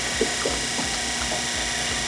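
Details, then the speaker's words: Spectra Catalina 400 watermaker with new Spectra mag drive pump: high-pressure pump cycling normally, soft piston-like thunks every third to half second over a steady hiss of running water, making fresh water. "The pump is working, the feed pump's working. This pump, this high pressure pump is working. You can hear it, listen, thunk. High pressure pump, thunk."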